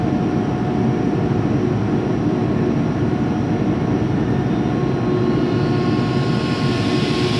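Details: 2005 Boge 40 HP variable-speed compressor, 79131 run/1909 loaded hours, building pressure toward about 105 psi: steady even motor hum with a faint constant whine, no knocks or rattles; normal running.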